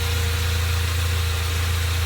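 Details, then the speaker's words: 1987 Dodge Power Ram 50 4x4, 2.6L Mitsubishi carbureted, 100,000 miles, warm with thermostat starting to open, jet valves adjusted. Low, even idle around 800 rpm, very quiet and smooth, no misses, ticks or knocks. "everything runs nice and cool sounds really smooth it is so quiet and it's got that curve like a brand new"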